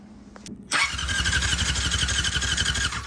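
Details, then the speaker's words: 1999 Yamaha R6 non-runner, safety switches bypassed, coil jumpered and grounded: starter spins engine with even chuffing about four per second but never catches; no spark at coils. "Yeah, so no spark still. Yeah, nope."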